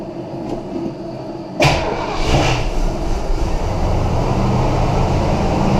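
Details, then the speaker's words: 1977 Ford Thunderbird after home fix of exhaust leak between cat and pipe with muffler mud and gasket on rusted flange: engine catches and settles to a steady even rumble, no ticking or puffing; quiet. "oh so it ran quite as a mouse which is good"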